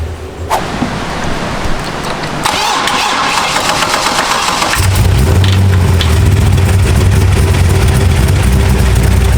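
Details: Engine on a cold start cranks, catches and settles into a fast idle with quick light ticking over the rumble; the noise was much worse the day before, suspected valvetrain rather than bottom end. Cause not confirmed.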